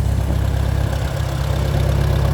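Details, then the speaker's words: Old tractor idling a while and now warm, motor temperature up, hydraulics warming with a slight hydraulic leak, late December; deep, low, steady rumble with even beat, no ticking or clatter; idling properly. "We're back down here at the farm hole, which has been running this whole time. We see there's a little bit of temp got into the motor"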